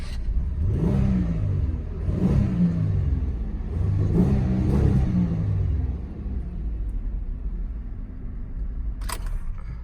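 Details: 2002 Buick LeSabre revived from junkyard after fresh battery and injector wires repair: engine swells up and settles back through several smooth blips, steady rumble with no skip or stumble; runs clean now.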